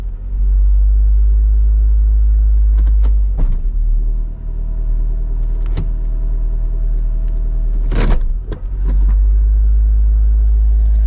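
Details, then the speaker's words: Car engine: smooth constant low drone near 1,500–2,000 rpm with a couple of short knocks. High idle. "Yeah, I'm a little confused why it's idled up so high."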